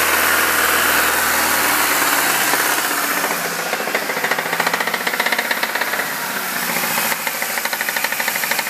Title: 2005 MINI Cooper S making clacking/clicking noise